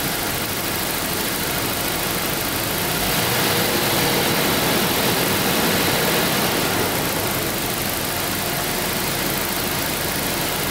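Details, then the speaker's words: 1992 Daimler Double Six V12, stethoscope on water pump at idle: smooth, even rush with no grinding or knocking; pump healthy, odd gushing sound instead traced to the oil filter at higher rpm. "and all of that sounded really good so it is something to do down with yourself"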